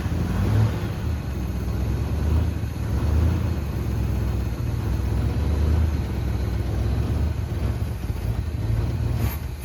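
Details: 1974 Chevy C10 that sat for a while, Quadrajet carburetor: deep low rumble that surges and sags unevenly; rough running, cause not found, so the carb top was taken off to inspect.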